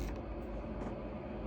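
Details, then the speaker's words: AutoTrail Arapaho motorhome heater blower fan switched on and speed raised, feeding the circular vents: smooth, steady rush of moving air speeding up, no rattle, scrape or wobble; normal blower fan operation. "So you can hear now the fan speeding up and drawing more air or more heat from this heater and pumping it around to those vents."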